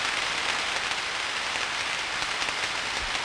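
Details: Dense, steady crackling like rain on a roof with sharper pops breaking through: destructive tracking discharge on a 34,000-volt switch, with 60 Hz spectrum content.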